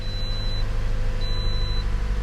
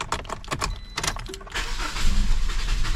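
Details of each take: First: 2008 Pontiac Vibe after replacing the evaporative canister; smooth, even low idle with a chime beeping twice, no stumble, no check engine light; normal idle. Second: 2008 Pontiac Vibe starting: key rattle, then engine catches but runs lumpy and stumbles, struggling to keep running; diagnosed faulty evap canister, replaced afterwards.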